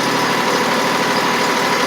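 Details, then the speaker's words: Lawn mower engine cranked on a Tykool 480CCA lithium (LiFePO4) battery: brisk, even starter churning with a quick regular beat and no slowing or dragging, strong cranking power. Normal cranking. "Plenty of power to do what it needs. So, plenty of power to do what it needs."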